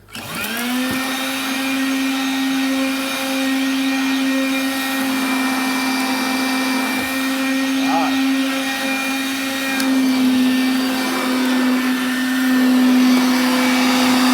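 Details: 1983 Moulinex Major 553 vintage vacuum cleaner: motor spins up fast to a steady, even high whine with a smooth airy rush and no rattles or surging; healthy running.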